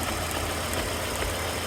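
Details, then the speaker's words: 1998 Volvo V70 GLT AWD manual, petrol, rough uneven misfiring idle; heavy engine oil leak, likely cam seal behind distributor, oil on distributor area explaining the missing and stuttering; owners had suspected fuel pressure. "a lot of oil there that would explain some of the missing that's going on with it the stuttering stuff like that"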